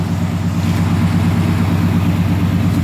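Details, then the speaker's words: 1990 Chevrolet K1500 5.7L 350 V8, automatic, after new exhaust manifold and studs fixed a puffing, ticking manifold leak: steady, even low V8 idle rumble with no ticking or puffing; exhaust now sealed and quiet. "she sounds as quiet as can be, as far as how it should sound. Sounds pretty good. Sounding good."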